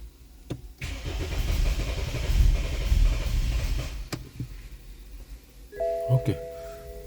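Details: 2013 BMW 528i xDrive F10, N20 engine: the starter cranks evenly for about three seconds but the engine never catches. Spark and injectors were checked OK and battery and coolant temperature read good in live data; cause unknown.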